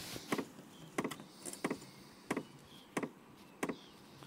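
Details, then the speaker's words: Vevor diesel parking heater starting up: its dosing pump gives crisp, even ticks about one and a half per second over a quiet background; normal pump operation. "Donc là, on entend la pompe qui commence à se lancer."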